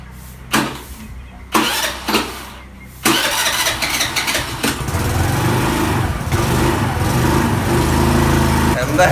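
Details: Hero Maestro Edge scooter, four years on original battery, would not start: after fitting new battery, starter whirs, engine catches and settles into steady even idle with no misses or knocks.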